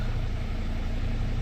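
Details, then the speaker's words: Dodge/Mercedes Sprinter diesel van, idling on start-up after a repair for being gutless, starting far more easily than before: steady, even low diesel rumble with no misses, knocks or hunting; healthy idle. "And already, just starting this thing up, it started up way, way easier."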